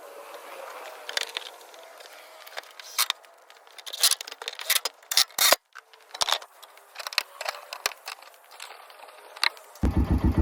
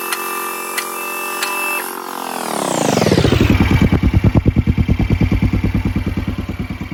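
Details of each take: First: 2011 Kawasaki Mule 610 XC, 1,000 hours, after engine oil leak repair: restarts after clicks and scraping, settles into even steady idle with no misses, no oil leak at seam. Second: 2011 Kawasaki Mule 610 XC, 1,000 hours, overdue service, oil leak, spark arrestor missing; running with steady beat about three pulses a second and thin high squeak; belt or clutch suspected.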